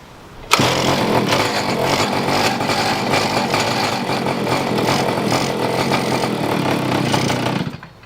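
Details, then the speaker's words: Pocket bike small two-stroke on choke with the throttle cracked catches and buzzes unevenly, stumbling before it dies; owner suspects it is not getting enough fuel and richens the carb mixture screw. Hard starting, uneven running. "Turn in the fuel mixture a little bit, see if I can make it a little bit more rich. It sounds like it's not getting enough gas."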